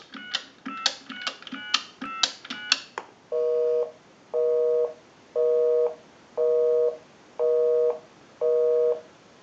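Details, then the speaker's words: Single-slot payphone during final checkout after repair and conversion, calling a busy number over a real line, heard via an amplified pickup. Quick touch-tone digits, then a steady two-tone beep repeating about once a second. Normal busy signal. "We can call my number and it'll be busy."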